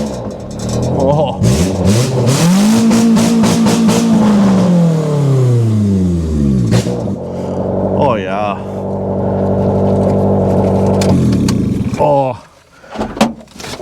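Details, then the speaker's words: Old Honda, dashboard removed, first start after cranking: the engine revs up cleanly, holds a smooth steady pitch, then settles to an even idle; healthy running, with slight smoke noted afterward. "oh even the brakes work oh sweet little Honda's just run mint"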